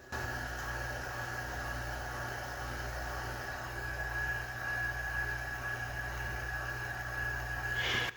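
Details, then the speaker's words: Sony Betamax SL-5200 Hi-Fi VCR in play mode: steady motor whir with fixed high tone and low hum from video head drum; drum and capstan servos not locking, blamed on failing cheap blue Sanyo capacitors. "so the servo for the video drum is not locking in and the servo for the capstan is not locking in again because those cheap blue sanyo capacitors"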